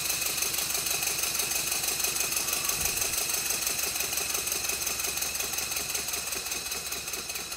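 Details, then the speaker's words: Rebuilt Stuart Twin Victoria steam engine running on a baseboard set on bubble wrap, after a timing tweak and re-oiling all moving parts: light, even ticking at about three per second, no knocks or rattles; normal, smooth running. "after a minor tweak to the timing and re-oiling all of the moving Parts this is what the engine now sounds like"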